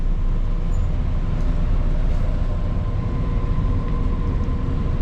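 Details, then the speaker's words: Johnson Controls packaged water source heat pump after loose housing was secured with added screws: steady, even low hum with a faint constant tone, no rattling or buzzing; normal quiet operation. "nice and quiet had to drill in a little screw there and also I put back all the proper screws that are supposed to be here"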